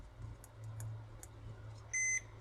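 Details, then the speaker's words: Lyman 1200 Digital powder system repair, multimeter on continuity across the microswitch: a few faint switch clicks with no beep, then a single short beep; the switch only makes contact intermittently. "if we press the switch you can hear the switch clicking nothing happens"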